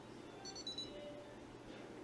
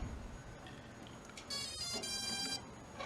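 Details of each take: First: Sky Viper v2900 Pro drone controller switched on with the drone off: short high-pitched beeps repeating in quick pairs over low room noise, warning of no link; beeping continues until the drone is turned on. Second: Sky Viper v2900 Pro drone with a 7.4 V LiPo battery: a short rising electronic chirp of a few tones as the battery is inserted, with green lights flashing in front and red on the back. Normal power-on jingle.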